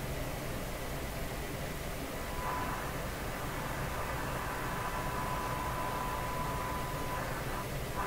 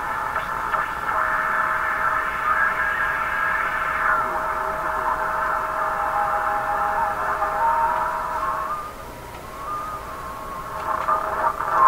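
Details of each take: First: RCA Victor 5T5 radio during front-end alignment, with a signal generator feeding the antenna and the dial near 1600: a steady hiss with a thin whistle drifting in and out. Receiver noise being detected, cause not found. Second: Canadian RCA Victor Model 5T5 AM radio after front-end alignment, on antenna test: station audio steady with strong carrier and modest hiss, fading slightly then returning; receiving normally.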